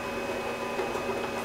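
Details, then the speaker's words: Original Xbox DVD-ROM drive stuck closed (eject click of death): the tray motor whirs with a faint whine, but the slack drive belt slips on its pulley and can't move the tray. "now what happens over time is this belt becomes really really slack and because of that it starts to slip"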